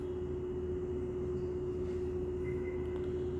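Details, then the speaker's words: Lloyd AC under warranty, unresolved after two service visits, heard from a room with the unit outside in a back corner: steady unwavering high-pitched hum like a train horn over low room rumble; abnormal tonal hum. "जैसे train का horn होता है वैसी आवाज़।"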